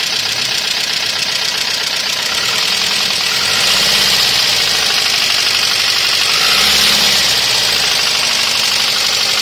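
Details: Toyota 1ZZ engine at idle with fast, fairly regular ticking about four per second over hiss; extremely bad valve train noise from worn valve buckets/tappets and excessive valve lash.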